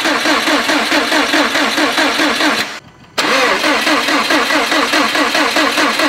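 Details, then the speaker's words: Freshly rebuilt Subaru STI engine, crank sensor and injectors unplugged, turbo feed line off to prime oil: even starter cranking at a steady beat, no knocks or scrapes between compression strokes, brief pause then cranking resumes; healthy. "crank it until we get some oil out of the turbo feed line reason for that is we want some oil moving around we want oil going into the turbo immediately and i also want to make sure we don't have any weird sounds just by turning it over"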